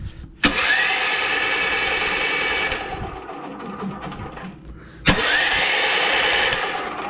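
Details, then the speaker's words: Small engine that had been locked up, cranked with the spark plug in: two fast, light cranking bursts with a thin, even whir and no firing; no compression, something suspected broken internally. "now that sounds like no compression I make sure the spark plugs on and try it again sound like no compression feels like no compression"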